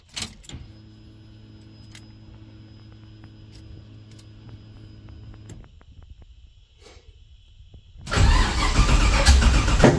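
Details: 1969 Camaro with LS3 swap on a Holley ECU, first start: lumpy uneven idle cuts out, then loud popping and crackling; a whole lot of backfiring and sputtering.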